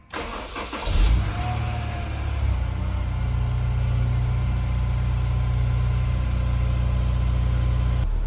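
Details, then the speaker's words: Honda S2000 with misfire and check engine light, after injectors cleaned: cranks, fires cleanly, flares briefly then steady even idle, smooth exhaust stream, no misfire; normal start and idle. "It sounds nice and smooth. I'll take a listen to the tailpipe here. That's what the exhaust should sound like. It should sound basically like a semi-smooth stream."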